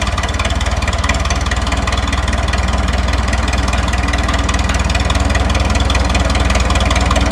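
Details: 1952 Minneapolis Moline G tractor gasoline engine, sat in barn 10 years, float possibly stuck: deep even chuffing about four beats a second, holding steady with no misses after starting easily; smooth idle.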